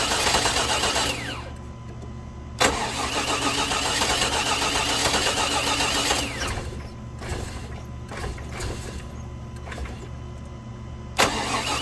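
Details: 2000 Chevy Tahoe Limited Vortec 350, sat under snow: starter cranks steadily at about four turns a second but the engine never catches, hitting a few times on key release; no-start from a corroded distributor cap.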